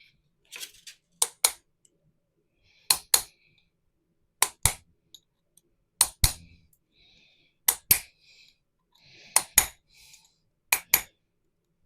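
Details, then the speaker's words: Hammer blows seating a bearing onto a restored 50-year-old MGB tube rear axle; sharp metallic blows in pairs, the ring going from open to duller, solid tone as the bearing sits fully home. "when I say check the noise it'll go from like a almost like an open noise to really close noise um which you'll which hopefully you'll hear you hear that yep I'm happy with that that's definitely all the way home"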